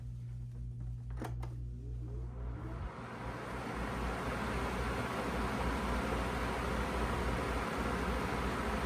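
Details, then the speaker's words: Feature Comforts FT30-3D table fan, needing a clean, started on high: spins up from rest into a steady, even rush of air with a low hum, no ticking or rubbing; runs healthy on high. "See, that's the high speed there."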